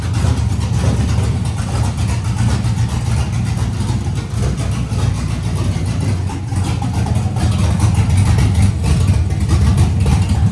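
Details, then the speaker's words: LS-swapped Nissan D21 Hardbody, LS V8, no radiator hoses yet, brief run: choppy cammed V8 lope idling steadily with no misfire; runs well. "you just think it runs which is super awesome we got all that worked out the thing actually runs and runs well from all from all the 17 seconds it's run"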